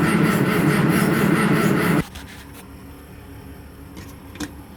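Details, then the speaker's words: 1963 Mack gasoline truck after 4 years sitting, in neutral (suspected bad gas): steady rhythmic cranking about two seconds with no firing, rolling it over to get oil pumping. "Now make sure it's in neutral. Just gonna roll it over, get some of that oil pumping."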